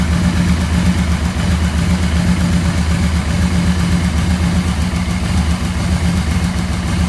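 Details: 1986 Yamaha Venture XVZ1300, about 30,200 km, while its carbs were being balanced: an even, steady low idle with a smooth pulse and no misses or knocks. Normal idle.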